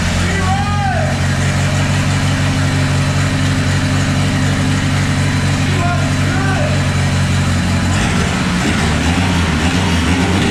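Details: Chevy S10 with swapped 3.0L turbo boat engine: steady, even low idle rumble with smooth firing and no misfire after timing was set to 8° advance and a custom PROM with 8° reference installed.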